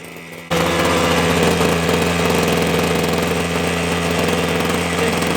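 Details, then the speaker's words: Titan hedge trimmer two-stroke, glued back together, after warming up properly: sudden start then crisp, even buzz holding steady speed, no hunting or misfire; normal warm running. "anyway I'll let it run a bit longer let it warm up properly there it is"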